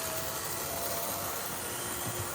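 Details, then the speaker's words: HO scale model locomotive, long unused in its box, test run: loud even whirring grind at constant speed with no knock, noisy motor and gears; noise later went away once gears were run in. "And in spite of it being pretty loud and everything, I think it runs quite good."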